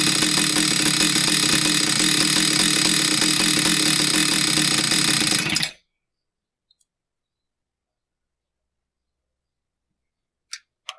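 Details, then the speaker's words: Husqvarna 66 chainsaw, previously a no-start because the crankcase impulse signal wasn't driving the fuel pump, now fixed: crisp, steady high-rev two-stroke buzz holding about five seconds, then a clean shutoff; normal running. "She's a runner."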